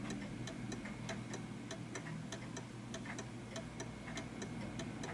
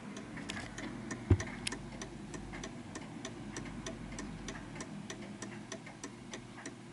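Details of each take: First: Art Deco chiming mantel clock with pendulum leg deliberately moved off center: tick-tock around 97 beats a minute with uneven, limping spacing; clock out of beat. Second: Art Deco chiming mantel clock adjusted into beat on an uneven surface: crisp, evenly spaced tick-tock with no limp between beats; the clock is in beat.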